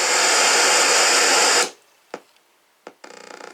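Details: Atari 600XL after replacing the sound chip to fix very low volume: a loud full hiss bursts out, then after a pause clear buzzing tones at good volume; sound output now works normally.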